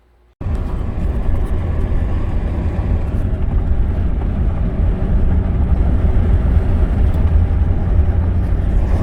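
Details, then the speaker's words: 2011 Ford F150 3.5 EcoBoost reported as detonation on light acceleration: low driving rumble with rapid chattering rattle from a partially engaging left front integrated wheel end leaking vacuum; the noise stops in 4 High with the hub locked. "That sounds like it's coming from that left front wheel. Let's try putting in 4 high. Yep, that's it. 4 high with the hub locked, it no longer makes the noise."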